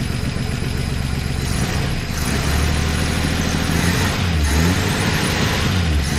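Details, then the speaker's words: 1964 Plymouth Belvedere slant six, three-on-the-tree, sat about 20 years, new coil wire: steady low rumble, slightly uneven, settling into a fairly even idle, not smoking much; normal idle. "good old Slant six right off the bat not really smoking that bed"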